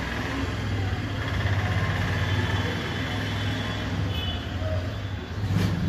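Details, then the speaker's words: LG washing machine after gearbox replacement and belt refit, running a wash as water fills: an even, low motor hum with no knocking or grinding; the earlier loud noise is now gone. "आवाज़ एकदम गायब हो चुकी है अब तुम सकते हैं पानी भी काफी ज्यादा भर चुका हूं"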